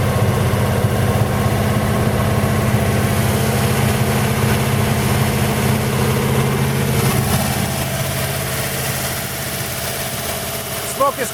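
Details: 1940 Buick straight eight on its first start in 30 years, after freeing the stuck engine, a good leak-down test on the rings and a valve job: deep, steady, even idle with no knocks or misses while spilled oil smokes off the manifold; normal idle.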